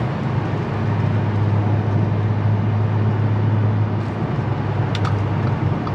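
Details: Audi S4 B8.5 cruising after shop replaced worn wheel bearings: steady low road rumble staying even, no growl or hum rising with speed; old bearing noise gone, normal wheel bearings.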